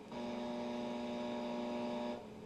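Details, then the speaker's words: Noisy LED lamp powered without a 47 ohm series resistor, AM radio in another room: steady buzzing hum with a fine edge, stopping abruptly; high crest-factor current interference, dead quiet once the 47 ohm resistor is added. "you can hear the radio in the other room is picking up the noise that the lamps producing"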